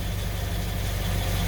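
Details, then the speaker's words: Nissan Altima at idle after fixing an exhaust junction leak with a stainless clamp and fiberglass exhaust wrap: a low, even rumble with no puffing, hissing or ticking. Normal, sealed exhaust at idle. "i mean you can hear it i mean you can't hear it basically perfectly sealed this one up here needed a little bit of help"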